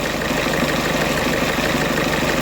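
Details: 2008 Ford Fiesta van 1.6 diesel after crank-no-start and P0698 reference voltage code; code still present and battery nearly flat. Steady, even idle with a constant beat, no misses, knocks or hunting. Normal idle.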